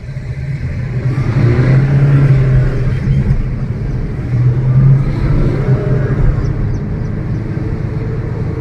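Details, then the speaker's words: Maruti Suzuki Ciaz on a road test with windows open: a droning hum that swells and fades with road speed over tyre rumble. Likely a worn front wheel bearing. "अभी ये जो sound है ये sound diagnose करने के बाद में ऐसा लग रहा है इसमें ल का बेयरिंग खराब है और व्हील का बेरिंग जो है वो हमारा अगले पहियों का व्हील का बेरिंग खराब है"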